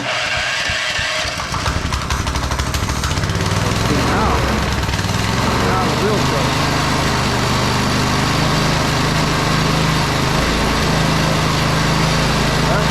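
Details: TrailMaster Mini XRX go-kart small single-cylinder, started on a 2 amp charger with choke after freeing sticky clutch and chains and lubing: catches after a few cranks, steady even putter, no misses; runs normally.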